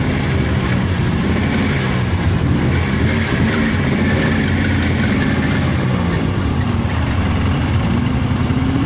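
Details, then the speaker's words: 1999 Polaris XCR 700 two-stroke triple snowmobile at idle with rebuilt water pump, new belt, new plugs and stock exhaust can: faint high squeal over idle; drive belt squeal because the belt rides too high with deflection too tight. ">> All right, that belt squeal. Let me show you what's going on."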